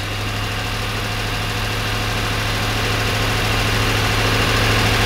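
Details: 1992 Corvette V8 at low idle with a steady beat that stumbles and shakes unevenly; misfire after exhaust repair, with fuel trims showing the left bank adding much more fuel.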